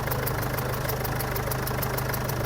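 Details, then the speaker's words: Mazda BT50/Ford Ranger diesel at idle with sharp, regular ticking over the clatter, air hissing up at the injectors. Compression leaks past a chipped, black-sooted cylinder 2 injector sealing washer, confirmed by pouring water. Customer says injectors were recently serviced. "ได้ยินเสียงมั้ยเสียงมันเป็นเสียงลมเสียงลมรอดขึ้นมาบริเวณนี้บริเวณหัวฉีดนี่"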